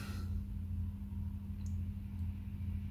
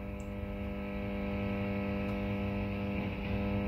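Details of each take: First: Mezzabarba Trinity 100W guitar amp after the grounding scheme was fixed, volume turned to 3 o'clock: only a faint, steady low background buzz with no ground loop hum. Ground loop gone. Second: Mezzabarba Trinity 100W valve guitar amp: loud steady mains buzz when an oscilloscope probe ground clip adds a second ground reference, a ground loop from the amp's faulty grounding scheme.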